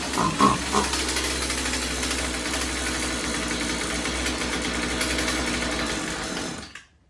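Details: Husqvarna 36 Special vintage chainsaw after replacing corroded fuel lines and filter and resetting carb high and low screws (previously maxed out) to one and a quarter turns: steady even buzz at fixed speed, no stumbling or surging, then cuts off cleanly; running normally.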